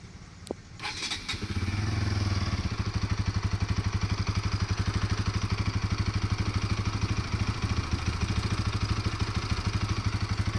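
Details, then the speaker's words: Bajaj NS200 after replacing the loose timing chain tensioner that had caused engine noise; the engine catches and settles into a steady, even idle with a clean regular beat and no chain rattle or ticking. "और अब आपको सुनाता हूं इसको change करने के बाद इसकी आवाज कैसे आ रही है।"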